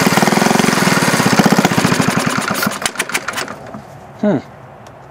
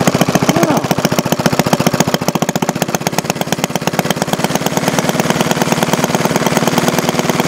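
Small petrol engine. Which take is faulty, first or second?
first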